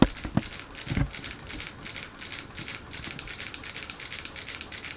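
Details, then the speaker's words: Harbor Breeze Vector Elite ceiling fan on medium speed: light papery rattle about three times a second with each turn, caused by tape on the light kit. "See that noise? That's the tape on the light."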